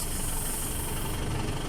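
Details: 2012 Mitsubishi Strada diesel after EGR repair (check engine light, stuck EGR), EGR active tests passed: low even diesel rumble at idle, no miss, hunting or knocks; normal healthy idle.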